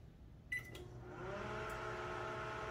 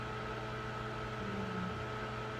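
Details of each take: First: Microwave running with the monitor door switch removed: a short beep, then a steady, even low hum and buzz; it cooks normally, since that switch only acts as a failsafe that blows the fuse. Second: Microwave with the door sensing (secondary) switch disconnected from the board: only quiet steady fan and turntable hum, light on, no deeper transformer drone. Fan and turntable running without heating.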